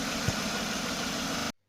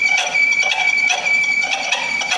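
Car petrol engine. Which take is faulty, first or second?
second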